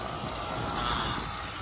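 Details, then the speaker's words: Carrier HVAC first-stage compressor, loud and drawing 14 A against 11 A for the quiet stage, during an oil treatment and flush: a steady, rough hum with a harsh hiss whose sound is changing. Current then dropped below 11 A; the cause of the noise is unclear. "I don't know if you can hear it's working, like it's working through. I don't mean it's working like, hey, everything's going away, but the sounds are physically altering."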